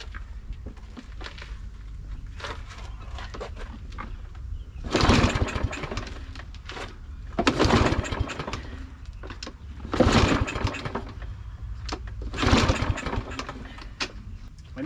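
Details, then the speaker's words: Fairly new Troy-Bilt mower with an automatic choke, no-start: after the choke was pried open and gas sprayed in, four rough pull-cord rattles and it never fires; the owner wonders if too much gas was sprayed, and spark is checked next. "have sprayed too much gas in there I'm not sure okay I'm going to wait a couple seconds give this a chance and then I'm going to try it one more time"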